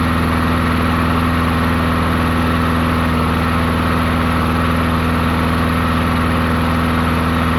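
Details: Murray 22-inch push mower, 5 hp Briggs flathead, unrun 20 years: after drilling out clogged carburetor passages, quick steady putter at constant speed with only a slight waver; runs good, slight surge noted.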